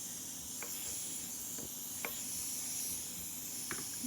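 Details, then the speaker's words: Campbell Hausfeld HL410100 air compressor after a broken reed on the valve plate was repaired: a steady high hiss with light clicks under the run; owner suspects an air leak at a fitting needing new tape, unconfirmed. "all right this is where I think the air leak is coming from I swear it sounds like it's coming from anyway"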